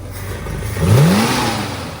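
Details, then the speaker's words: Restored 1965 Ford Mustang A-code fastback, matching-numbers V8, original carburetor, manual transmission, blipped in neutral: note climbs smoothly from low rumble and falls back cleanly in about a second; revs up and runs great. "As you can see, revs up, runs great."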